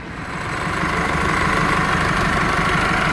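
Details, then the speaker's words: Chevrolet S10 after A/C compressor bracket installation: faint steady high whine over the idle hum; mechanic suspects the alternator bearing and plans to advise an auto-electric check; alternator noise. "esse barulho meio estranho o alternador vamos informar o cliente do alternador com esse ruído deve ser o rolamento"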